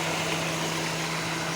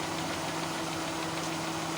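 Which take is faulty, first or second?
second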